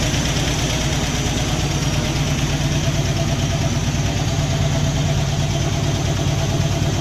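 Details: 1964 Dodge D300 Sweptline crew cab with a Poly 318 V8 swapped in from a 1966 Coronet wagon, first run after sitting: lifter clicking and clacking over a slightly uneven idle with an occasional stutter; valve cover gaskets leaking smoke.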